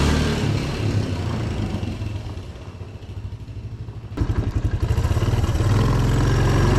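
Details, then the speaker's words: 1982 Honda ATC 200 Big Red single-cylinder engine on a test ride after new bearings and seals meant to fix chattery drivetrain noise: it thumps along evenly, easing off and picking up speed, with no chatter. "Hopefully all that chattery drivetrain noise is gone now, and it very well should be, because, well, we aren't dealing with these anymore."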